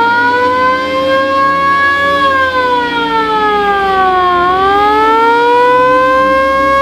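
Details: VW Kombi Bay Window ambulance with its original factory siren, run alongside the rotator lamp after the battery was fitted: a clean wail sweeps down and back up smoothly with no stutter or rasp; the siren works properly.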